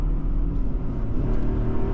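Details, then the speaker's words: Mercedes ML63 AMG V8 pulling steadily under acceleration around 55 mph zone, deep even rumble with no knocks, misses or rattles; engine sounds healthy, occasional bucking and dim lights blamed on a dead battery. "that engine is healthy very healthy wow"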